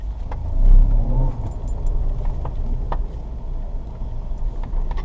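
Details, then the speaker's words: 2005 Ford Escape after fuel filter install, warning light now off: low steady idle rumble with smooth even beat, nothing knocking or hunting; normal idle. "But it sounds like it runs good, as you can hear."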